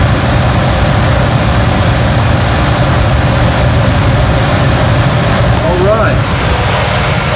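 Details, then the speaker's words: American furnace blower running after the homeowner replaced a failed part (about $10) that had stopped it, leaving A/C lines iced over: steady even whoosh of airflow, no rattles, squeals or surging; blower operating normally. "I could hear it come on from upstairs, and sure enough, and it's blowing."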